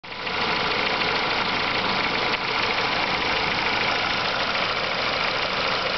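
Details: Renault Megane 2 engine knocking: steady idle with a sharp knock constant at idle speed; cause not yet found.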